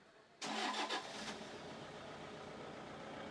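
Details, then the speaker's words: Toyota Innova diesel pickup with fuel filter light on, started after hand-pumping diesel into the fuel line without opening lines: catches quickly without long cranking and settles into a quiet, smooth steady idle; normal start. "വണ്ടി സ്റ്റാർട്ടായി നിൽക്കുന്നതെന്ന് വെച്ചാൽ ഇത് ഈ ലൈനിൽ നിൽക്കുന്ന ഡീസലായിരിക്കും."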